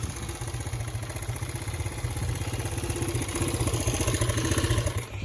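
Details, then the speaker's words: Honda CB125S single, freshly rebuilt with about 10-11 minutes run time, good compression, one-kick start: idle about four beats a second with uneven spitting beat and occasional pops; owner expects to tune it out via points. "So, she's kind of popping a spider and I think I can get that tuned out with the points. Plus, everything's still fresh and new."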